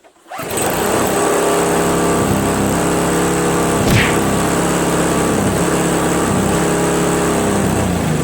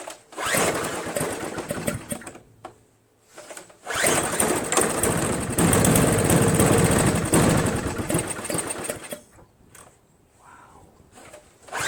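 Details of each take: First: Craftsman 522 4-cycle single-stage snowblower after draining water from tank, cleaning carburetor, replacing fuel lines and primer hose, covers back on: starts instantly, settles into steady even putter at constant speed, no misses; runs great. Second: Craftsman 522 4-cycle single-stage snowblower left outside, water in gas tank, line and carburetor, loose ignition switch: catches, sputters unevenly and dies, restarts and stumbles with stalling gaps; rough running from water-contaminated fuel.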